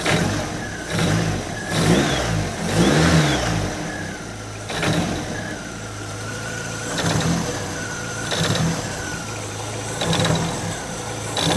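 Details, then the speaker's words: Stored hot-rod Ford Model A coupe, first start, oil pressure just coming up. A loose rattling racket and faint chirp rising with revs at idle; something vibrating and the belt flops. Source unidentified; loose alternator and motor mount later noted. "what is that racket something makes like a racket those things running at idle something's vibrating and that belt still flops around a lot the hell is that noise"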